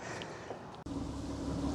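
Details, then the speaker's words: 2002 Honda Odyssey, after replacing the 20-year-old idle air control valve and throttle body gasket and cleaning the throttle body: steady, even smooth idle with no fluctuation; slight cabin vibration, check engine light P1259 still on. "After replacing the idle air control valve, cleaning the throttle body, and replacing the throttle body gasket, we now have a smooth idle."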